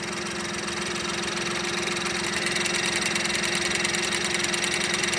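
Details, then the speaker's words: Mini Cooper during spark plug change, not yet warmed up: light, quick, even high-pitched ticking over steady idle that then went away; owner suspects injector clicking, also fears something loose. Cause suspected, not confirmed. "also fords ford engines and stuff you'll get a lot of a lot of that tick tick tick sound but see how it went away god love it uh that's injectors you'll hear injectors going click click click click"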